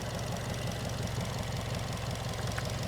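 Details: Engine at idle after replacing the worn, squeaking V-belt with a new HKS belt: steady, even idle thrum with no squeal or chirp from the front of the engine; belt running quietly.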